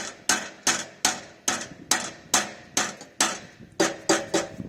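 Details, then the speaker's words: Porsche Boxster 986 exhaust, rusted, bracket and heat shields missing, cracked and leaking: light hammer taps ring tinny with a loose buzz, exhaust rattle; catalytic converters possibly broken inside. "It's starting to leak from the exhaust. So I'll tap it so you can hear what the rattle."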